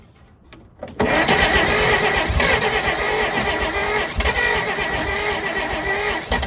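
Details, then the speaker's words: 1948 Pontiac Silver Streak straight-six, sitting since the early 1990s, after refitting the distributor rotor and cap: steady starter churn with occasional uneven puffs, almost firing but not catching; it later ran. "up you guys hear that it's getting close it's getting close is what that means I think if we can just get it to fire off it should run off its own fuel"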